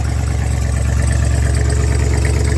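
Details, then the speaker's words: 1978 Ford F-350 retired U-Haul truck, run briefly without radiator: deep, smooth, even idle rumble with no knocks or misses; alternator hitting a cable, engine sounds healthy. "But it sounds like a healthy engine. We won't run it for too long because the rad's not in it"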